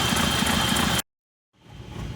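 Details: Hyundai Santa Fe diesel, smoking, with an oil leak behind the engine: uneven, shaking idle with a faint whistle and brief cutouts; misfire suspected on the third cylinder; only an EGR fault code, and it runs normally at 2000 rpm.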